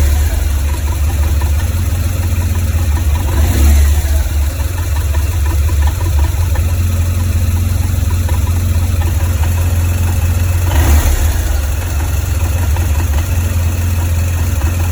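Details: 2004 BMW R1200GS boxer twin with 36,000 km idling with an uneven, lumpy beat from the right cylinder head. Valve clearances, rocker arms, spark plugs (not fouled) and primary and secondary ignition coils were checked; cause still unconfirmed.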